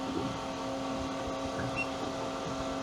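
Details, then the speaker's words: New Ranger Tug R27, single engine, at anchor after power shut off: thin, even motor whine under light background noise as the trim tabs automatically retract to zero; normal operation. "You hear some noise where you hear something, a motor running when I turned it off. This boat automatically brings your trim tabs back to zero when you turn the power off."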